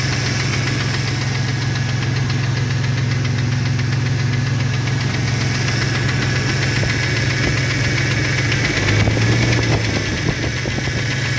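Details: 2001 Jeep Cherokee XJ 4.0L six idling with a steady hollow knock under the exhaust: piston slap from a broken piston skirt.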